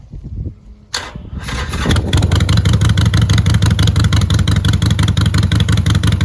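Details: Harley-Davidson after exhaust pipe repair with heat shields refitted, test fire: starter whirs, engine catches and settles into steady lumpy idle with even exhaust pulses, no leaks or rattles.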